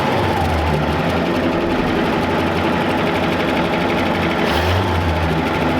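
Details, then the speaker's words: 1966 Chevrolet C10 donor truck that had sat unused, running after its weak battery was charged and fuel was added to the intake: steady, even rumble with no knocks or misses. Normal running. "all righty now that we've got it running we're going to go ahead and try to get some of these wheels aired up"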